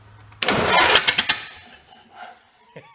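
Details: 1931 Ford Model A pickup, barn find sat for decades, open exhaust, distributor not yet turned, timing to be bumped: loud catch with ragged uneven pops, then stumbles and dies; rough running, owner suspects timing and carburettor needing a kit.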